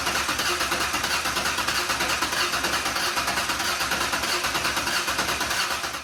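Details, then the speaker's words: Ford 4.0 engine, first start after engine repair: starter churns at a steady three beats a second and never catches; scanner showed RPM, a coil pack wire was found unconnected. "And on the back of the frickin' coil pack is a wire that I didn't hook up. I'm gonna hook that up now."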